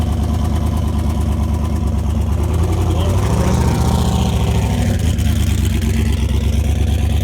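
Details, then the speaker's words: Mustang engine on dyno, shut off at 4,000 rpm: lumpy uneven idle with a steady skip, running on seven cylinders; blown head gasket, steel O-ring pushed out of head, one cylinder with zero compression. "Yeah, we got 7 cylinders."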